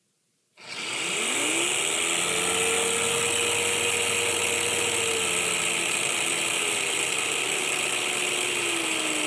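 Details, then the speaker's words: Dimmer for 12-24 V, 30 A LED strips driving a 19.2 V, 7000 rpm cordless tool motor at minimum speed: steady mid-pitched whistle over hissy hum from the winding, inaudible at higher speeds. "Mais on entend un sifflement, et c'est l'enroulement qui siffle. À ces vitesses, le sifflement n'est plus audible."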